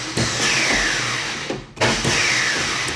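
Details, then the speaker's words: 1994 Opel Corsa B GSi, long stored, on a jump starter booster: key turned and the starter gives two bursts of high fast whirring, spinning freely without engaging the flywheel; owner suspects the starter is broken. "starter wheel is empty Solenoid doesn't play from there"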